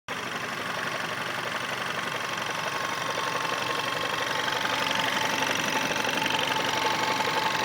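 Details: VW Scirocco 1.4 TSI, 100,000 km, original clutch, hot idle, started without pressing the clutch: a soft, helicopter-like knock about four per second from the right side of the engine. It speeds up with revs and then vanishes, and is absent when cold. Owner suspects clutch or flywheel.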